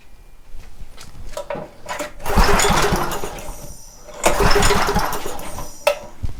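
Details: Homelite 2500 W generator after penetrating oil was applied through the exhaust port, pull-started with the choke off: repeated starter-rope rasps and brief ragged coughs that never settle into running; the cause is not confirmed, and starting fluid is tried next.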